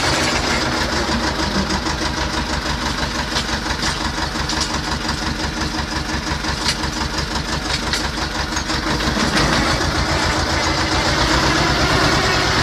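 Regular diesel clatter at a steady idle, about three beats a second, even and without misses, then picking up slightly. A sound engine.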